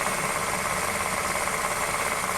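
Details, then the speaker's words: 2008 Honda New Civic, cold idle: steady hissing whir, no knock rhythm; stethoscope on power steering pump while revving, noise very strong there; accessory belt tensioner replaced twice before; diagnosed worn power steering pump bearing. "nós tiramos a correia de acessórios né nós tiramos de cá ferramenta com os copos valor tá muito forte aqui na bomba da direção hidráulica né"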